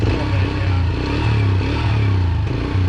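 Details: Yamaha TT-R125 after about 10 years sitting, warmed up: low even single-cylinder putter holding a steady beat without stumbling, idling cleanly though smoking heavily.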